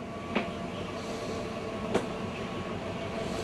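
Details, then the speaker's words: Rockwood Mini Lite 2104 travel trailer slide-out retracting: steady motor drone with a faint whine and an occasional clunk about every second as the room travels in; normal, nothing grinding. "Again, even coming in, you'll hear that noise. Just rest assured nothing is grinding."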